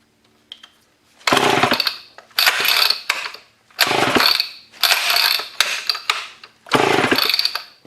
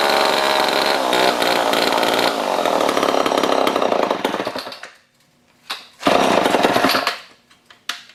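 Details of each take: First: Old Homelite chainsaw that sat outside in a scrap pile for over a year, with low compression, carb spray in the cylinder: about six rasping recoil pulls, one a second, each dying off with no catch. Cranks but will not start. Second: Old Homelite chainsaw revived after over a year in a scrap pile, started with choke: a rough, buzzy two-stroke blipping up to speed and dropping back to idle between short revs. Reasonable for its age. Normal running and revving.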